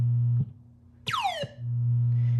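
Over a steady low hum, a clean falling chirp tone sounds once on command; the sound board fires this effect correctly.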